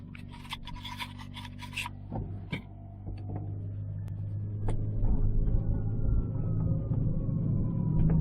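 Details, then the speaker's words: 2006 Ford Escape Hybrid while driving, after swapping in a used wheel bearing; steady low hum under road rumble growing with speed, unchanged by the swap, so not the wheel bearing; owner wonders about a carrier bearing. "guess what it ain't gone nowhere i still have it hear it so it definitely wasn't a wheel bearing nothing changed"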